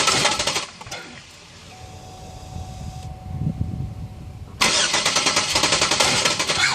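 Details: Engine with old fuel pressure regulator fitted; fuel pressure rose to 53, slowly leaked to 50 and was still 50 after over an hour off: starter cranks in quick, even beats on two tries but it never fires.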